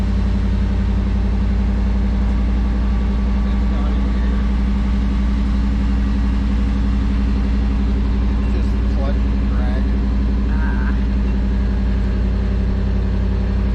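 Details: 1988 truck running on a gas tank taken from a truck that sat over a year, tank drained but some stale gas left causing smoke: steady even low rumble with no knocks, misses or rattles; runs smoothly.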